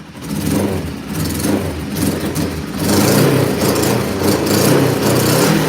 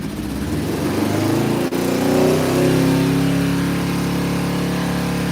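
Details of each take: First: Cold motorcycle started with about 5 inches of snow on the ground, revved: ragged, uneven beat with lumpy pickup as revs rise and fall; owner thinks it is running on only one cylinder, on high choke; misfire suspected, then runs perfectly. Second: Motorcycle started cold in snow, after sounding like it ran on one cylinder on high choke: quick blip of revs settling into a steady, even beat with no misses; owner says running perfect, purring like a kitten.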